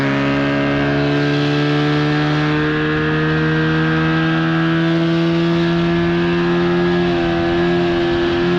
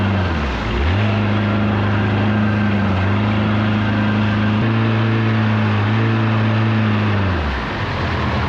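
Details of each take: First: 1979 Evinrude/Johnson 35hp outboard at speed on the water, with insulation added under the cover, after a failure to reach wide open throttle: strong steady buzzing drone at one pitch, no misses or surging; seemed to run perfectly fine. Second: 1979 Evinrude/Johnson 35hp outboard on the water under load after tune-up and adjustments: drone climbs then holds flat at a modest pitch instead of running up further; adjustments failed, not reaching wide open throttle.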